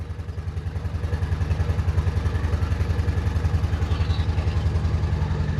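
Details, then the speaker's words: Honda Shadow Spirit VT750 with new aftermarket Chinese carburetors, idle raised after being set too low, choke off: a steady, even low thump about 214 beats a minute with no stumbles or clatter; normal idle, though the carb leaks fuel. "So, I adjusted the idle and now it's running. That's a good sign. It sounds healthy. I turn the choke off and it still sounds healthy."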